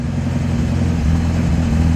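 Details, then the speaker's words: 1959 Alfa Romeo Giulietta after about five minutes running, temp gauge just leaving 140, choke set: low lumpy wavering idle barely holding on; suspected too little fuel in the carb idle circuit. "It'll kind of idle. It's been about five minutes or so."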